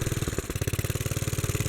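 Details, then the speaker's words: 1957 Bolens garden tractor, type 21HD01, sat for many years, running on choke with quick uneven firing and a stumble; dies when choke is removed, so running lean, main jet to be opened. "so when i take the choke off the engine dies so it's running lean not getting enough"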